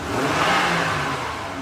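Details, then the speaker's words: 2009 Honda Odyssey after replacing upstream and downstream O2 sensors (bank S2 readings previously erratic, now matched on OBD): smooth rev rising and settling cleanly with no misses or hesitation. Runs very smooth; repair appears successful. "Very smooth, RPMs. Very smooth. Sounds really smooth now. So I think we fixed it."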